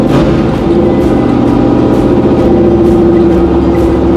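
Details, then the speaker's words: 6.2 LS swap in a square body crawler on a Holley Terminator X ECU, warming up; lumpy idle surging about twice a second and barely holding on, settings needing adjustment to relearn; unstable idle. "yeah we need to get it close enough where it's trying to idle and then re-learn she's trying"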